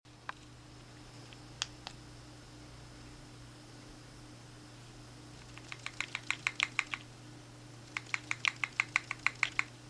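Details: iPhone 5 shaken by hand, quick light tinny clicking bursts of about five or six a second as something loose rattles inside; suspected loose battery, pressing the back softly stops it only temporarily.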